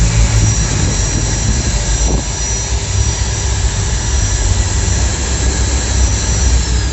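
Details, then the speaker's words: Maktec MT90/MT91A angle grinder, previously fully seized, after bearing replacement and reassembly: smooth, even high whine with no growl, rattle or vibration and no armature rubbing on the stator; normal running. "disini untuk suaranya normal dan gak ada getaran ya enggak ada yang gesekan antara angker sama gulungan"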